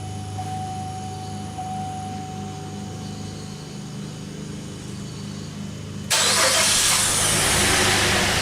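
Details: 2008 GMC Acadia with random misfire code, cranking compression test with in-cylinder pressure transducer and First Look sensor: starter cranks about four beats a second with one weaker pulse per cycle; low compression on cylinder #3.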